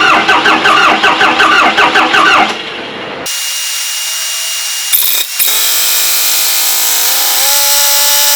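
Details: Compound-turbo Bronco diesel with upgraded valve springs, first start on a newly replaced battery: long rhythmic cranking for a couple of seconds, then it catches and settles into a rough, rising idle. A fuel leak appears afterward at a crossover return line.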